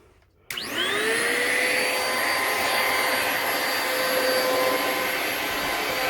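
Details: Bissell Powerglide 1647 vacuum, restored after purchase in working condition (disassembled, cleaned, plastics polished), part reinstalled and started: motor spins up fast to a steady high whine with even airflow rush, no rubbing or rattle; healthy vacuum motor.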